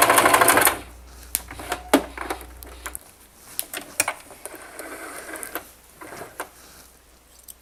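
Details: Singer Simple 3232 (also called 3252) sewing machine sewing a basting stitch at stitch length 4 on doubled fabric: light, uneven ticking at about three stitches a second after a brief start whir, no grinding or knocking; sewing normally.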